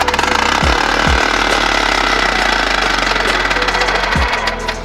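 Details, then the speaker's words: 3D-printed 4-stroke compressed air engine at 40 psi: rapid even exhaust puffs at high revs with sharp chattering edge, running freely and smoothly; normal running. "there you go that's 40. it does run down pretty high"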